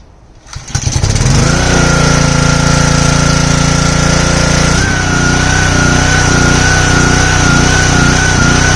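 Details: Simpson 3000 PSI pressure washer, Honda GCV engine, long stored outdoors: catches and settles, then speed swings up and down slowly, hunting; owner suspects clogged carburetor needing overhaul.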